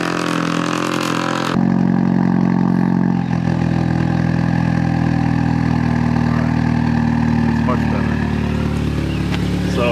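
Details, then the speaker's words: MK6 Jetta GLI with swapped wastegate actuator and catless CTS downpipe: loud deep droning exhaust on cold start, steady low rumble with strong hum; only this loud cold, quieter once warm; catalyst fault code. "since I put the CTS downpipe on this car has become unbearably loud"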